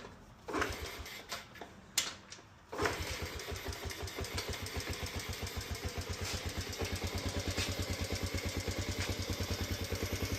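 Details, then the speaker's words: 2007 Honda CT110 single-cylinder engine started, choke off, after cam chain and tensioner install: smooth even idle, no cam chain noise, valves faintly audible as properly loose. "No more cam chain noise, that's for sure. Sounds really smooth. And valves are definitely loose enough cuz you can hear them. Sounds really good."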